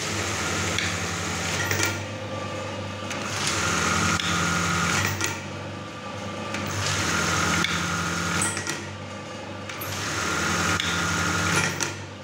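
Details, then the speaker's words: Brother 814 buttonhole machine, serviced and oiled, running fast and empty without fabric, set with gears 50 and 26: fast, steady needle-bar clatter at about four strokes a second in even bursts with a light clack; normal running. "Hai handphone isinya adalah posisi ketika jalannya cepat sekali bunyinya juga lumayan ceklok ya karena disini juga kami service"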